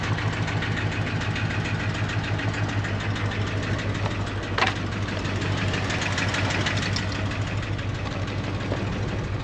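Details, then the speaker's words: 1977 Jeep Wagoneer, AMC 360 V8, automatic, Edelbrock 1409 600 CFM marine carb, seems to run rich: steady low idle with fast, loosely even tapping and heavy blue smoke; owner suspects worn rings burning oil; blue exhaust smoke. "wow Smokey Joe that's probably the Rings right we'll put some thick really thick oil in her and see see what that does"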